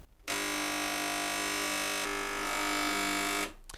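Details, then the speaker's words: Gaggia Cubika espresso machine, element heating: loud steady vibratory pump buzz for about three seconds with no change in load, not sucking water. "But it was making that loud noise there and it wasn't, so I can feel either my hand has heated up the top or it's getting hot. But it's not, it doesn't appear to be sucking."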